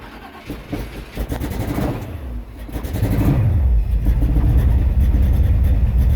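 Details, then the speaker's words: Carbureted Chevy Nova parked a while, not starting for about a week, given ether and gas in carburetor: cranks, catches into a ragged, rising rumble, runs unevenly briefly, then won't keep running. "I don't believe it. It run for a little minute."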